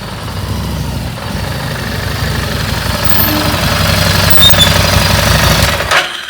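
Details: Second-hand bike, single cylinder, after spark plug removed and refitted to cure a start-then-stall problem. Even tick-over at about three beats a second with no misses or stumbles before shutoff; now sounds correct, power restored.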